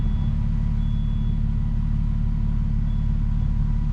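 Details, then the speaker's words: Nissan 370Z after valve cover gasket and spark plug replacement: deep idle with uneven loping beat and occasional skips; still misfiring at idle, cause not yet found. "maybe i'm just paranoid but no yeah it's still misfiring bro"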